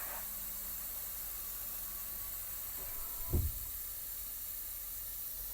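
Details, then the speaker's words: Truck air brake inspection, inside tractor after disconnecting trailer air lines: steady hiss of air escaping as gauge pressure drops, then a dull pop as the red tractor protection button pops out at about 70 PSI; normal test. "so we can see the pressure is dropping in the gauges okay so we can hear that the red button has po out"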